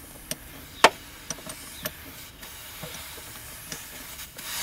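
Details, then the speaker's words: 4.4 TDV8 L322 Range Rover, driver's-side air spring line loosened with 12mm spanner during damper replacement: spanner clicks, then a rising steady hiss as air bleeds from the air spring. "after a few turns we should hear it start to hiss as the air evacuates the airspring there we go"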